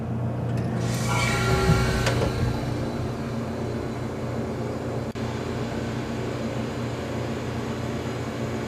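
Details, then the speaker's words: Antique General Electric CJ-1-C16 refrigerator after repair, recharged with R152A replacing sulfur dioxide: compressor catches with short clatter then holds steady low hum, pulling the low side down; normal start and run. "it pulling that low side down. Just like it should."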